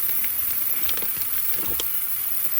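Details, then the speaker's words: 2018 Duramax L5P boost leak test with the engine off: sharp steady hiss of escaping air under test pressure at the front intercooler boot, never previously removed; a large charge-air leak. "huge leak you can hear it so that front boot that I've never taken off we have a leak"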